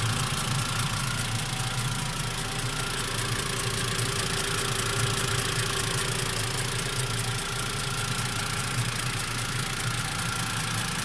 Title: Посторонний звук в двигателе Mivec Mitsubishi после прогрева